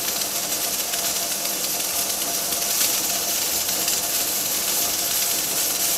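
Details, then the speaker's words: Pressure canner (dial gauge plus weight) processing low-acid food, at 10 psi and 240 degrees for the owner's altitude: strong, steady steam hiss with no sputter or surge, weight rocking and rolling; normal operation at pressure, just before timing starts. "right on the money my gauge reads 10 psi 240 degrees and my weight is rocking and rolling"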